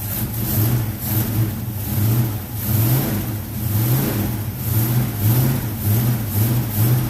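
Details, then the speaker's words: 1970 Mach 1 clone V8 after a Holley 600 carburetor gasket rebuild, revved cold in steady blips about once a second, pulling cleanly and only a touch lumpy while cold; normal. "sounds good it's just a little cold so we'll get this running right"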